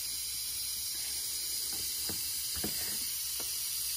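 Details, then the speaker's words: BMW N20 2.0 turbo engine off, boost leak test through a special adapter: steady high airy hiss with faint ticks as pressurized intake air escapes, and the gauge drops too fast once the air is shut off, so there is a boost leak. "when you shut it off and the gauge just drops all the way that's no good all right"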